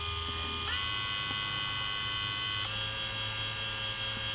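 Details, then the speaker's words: Budget Amazon mini wood lathe, motor speed set by power-supply voltage: smooth, even motor whine stepping up twice in pitch as voltage rises to full speed, slight vibration but fairly well balanced; normal running. "it gets faster we're at full speed it wants to vibrate but otherwise it's pretty uh pretty pretty well balanced"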